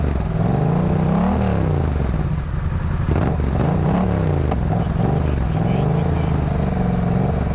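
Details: Yamaha MT-07 twin that had a non-firing cylinder loaded with fuel, now revving up and settling back cleanly with even firing and no sputter or popping; it sounds much better and runs normally.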